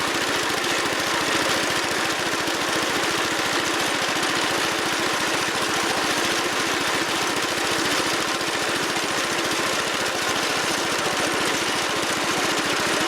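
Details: Wheel Horse Commando 800 tractor with sickle bar mower and 8-hp pull-start engine, after belt replacement, in transport position: steady, even, fast firing beat with no knocks or misses. Normal running.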